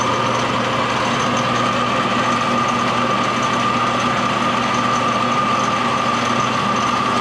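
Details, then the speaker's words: Old Craftsman table saw running: steady motor hum with a rough rattly edge while the belt vibrates all over; saw feels solid; worn bearings in the saw or the motor suspected, unconfirmed; rattle and belt vibration while running. "it sounds kind of wonky but is that how it should sound like it's rattling yeah and this belt was vibrating all over the place"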